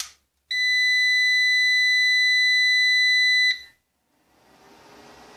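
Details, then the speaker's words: Orvaldi INV-12-840W Home UPS, repaired for error F05 with test transistors soldered in and no heatsinks, on a small test battery and mains with the power button off. It gives a steady high startup beep of about three seconds, then the fan spins up. It starts normally and charges the battery. "він запустився вентилятор задув напруга на цьому акумуляторі пішла вже його зарядило типу"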